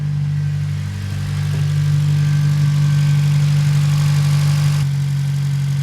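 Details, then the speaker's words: 8th-gen Honda Civic Si K20 idling on first start after fuel rail install and idle air assist delete, not yet warmed up: steady hum with a light regular tick about three times a second, cause unknown; no leaks or engine lights. "I did notice the car is starting to take a little bit more like that ticking sound you guys since here I don't know if that's a bad thing or if it's a good thing"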